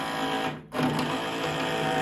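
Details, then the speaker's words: Ariens 1336 Pro snowblower electric chute motor after cost-free teardown repair; steady, even whir with one brief dip and quick recovery, no grinding or chatter; sounds healthy, chute motor working. "Ooh, she sounds healthy, doesn't she? That's results."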